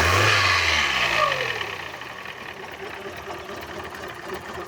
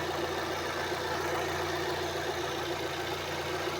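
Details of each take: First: Fiat Uno petrol engine before repair, with a strange noise and poor running: revs drop to a rough idle with a light, fairly regular knock from a worn piston pin. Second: Fiat Uno after repair of piston pin knocking and poor running: smooth, steady idle with an even low hum and no knocking. Normal engine operation.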